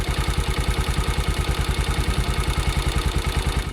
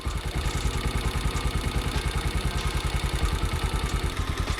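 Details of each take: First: Bajaj Pulsar 150 (pre-N-series) single-cylinder at idle: even thump with a light, fast high-pitched metallic chatter, mostly tappet noise plus slight timing chain noise; valve clearances need adjusting. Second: Bajaj Pulsar 150 (pre-N-series) single-cylinder, after tappet adjustment to cure excessive engine noise: even, steady idle thump with only faint light clatter, no loud tappet tick; healthy idle, some engine noise normal for this model.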